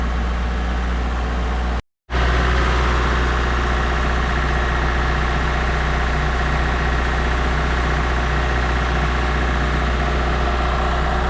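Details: Mazda MX3 automatic after torque converter replacement, previously squealing: steady, even low idle rumble for ten seconds with no knocks, slaps or misses; normal idle, squeal gone.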